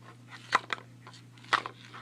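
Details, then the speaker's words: Weedeater XT200 trimmer with the back cover and fuel tank removed for fuel line replacement: tipping the empty tank gives two short sliding knocks about a second apart from something loose inside, which the owner thinks is the fuel filter come loose. "you can see up in here that thing sliding back and forth. I think that's the fuel filter and it's came loose from the uh thing."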